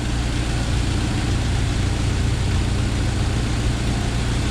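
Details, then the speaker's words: 1997 Jeep Wrangler TJ 2.5L after timing chain replacement, idling: steady even low idle, front of engine now much quieter with no rattle; light tapping under valve cover remains, owner believes lifters. Normal idle. "i got my timing job done and it is so much quieter up here in the very front"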